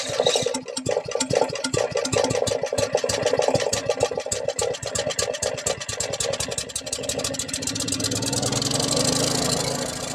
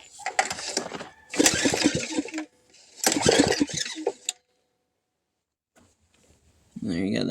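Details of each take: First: $100 used generator, long sitting, with a rebuilt carburetor and a bad leak: sharp uneven firing pulses as it catches, then it settles into a steady, fuller running hum; it starts and runs normally. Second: $100 pull-start generator that sat unused, unknown fault: three quick pulls, engine spins over freely with good compression but never catches; no start.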